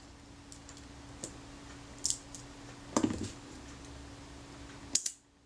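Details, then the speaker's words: Kodak Retinette II film camera during a service, after adjusting the slow-speed gear train: crisp single shutter snaps, clean with no drag or hesitation; the shutter fires properly. "so I know that sounds quite good I'm going to go and test it"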